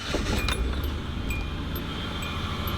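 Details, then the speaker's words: 2002 Hyundai Sonata V6 just started on a jump pack (dead battery), odometer showing 120,000 miles but not working: uneven, lumpy idle with shaking felt inside, check engine light on. Rough running, misfire. "as you can hear and if you're inside you can feel it shaking doesn't run that great check engine lights on"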